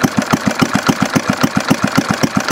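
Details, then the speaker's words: Homemade hit-and-miss conversion of a 1951 Briggs & Stratton 6S single-cylinder engine with idle turned down: even, slow putt-putt of about five or six beats a second, no misses or knocks; normal idle. "Mike turned the idle down boy this thing's paring like a kitten it's going to make a nice hitting Miss Mike it's almost run slow enough now yeah look it sounds like hit Miss now"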